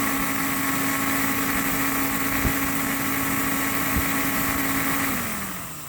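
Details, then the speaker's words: Pro 80,000 BTU kerosene torpedo heater unused for years: steady fan whir and ignition tick with spark present but no burner roar, then winds down; no ignition, suspected no fuel reaching the burner. "So it looks to me like it's not getting any fuel. And this just might be the issue."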